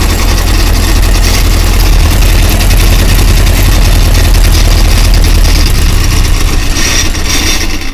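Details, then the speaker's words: Rebuilt 1120cc engine with small big-end pins and a repaired, skimmed 998 head, just started on the dyno before coolant is added. Strong, even, deep beat with no clicks or clonks; normal running. "it's alive no clicks and clonks either sounds like it's all going around quite sweetly excellent"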